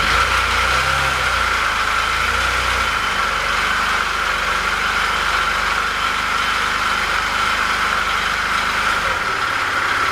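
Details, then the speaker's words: Small scooter engine running with misfires: uneven idle with dull knock about four a second; camshaft bearings first suspected, knock traced to crankshaft with play; finding: crankshaft knock with rough running. "Ну вот мы нашли стук стук исходит из коленвала"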